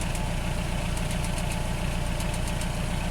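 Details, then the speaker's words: 1985 Nissan 720 with computer-controlled carburetor at idle: faint sharp ticking snaps over steady idle from a spark plug wire leaking spark through tape, first suspected as an exhaust leak; the wire shocks on touch and plug wires need replacing. "I think I just an exhaust leak, or the spark plug wire's leaking. Yeah, it is."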